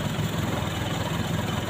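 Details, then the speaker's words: Four-cylinder petrol engine with all four spark plug wires connected, just started, before a wire is pulled. Steady, even low idle hum with no misfire or knock: normal idle vibration. "setelah mesin hidup kita perhatikan getarannya seperti ini standar normal begitu ya"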